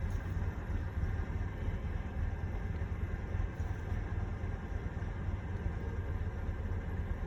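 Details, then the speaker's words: Engine idling while EGR valve is commanded open (about 0.8 V feedback when closed): low uneven lumpy idle stumble, MAP near 70 kPa; open EGR valve acts as massive vacuum leak. "Now watch what happens when we start to open this. Now listen to the engine, you can hear it stumble."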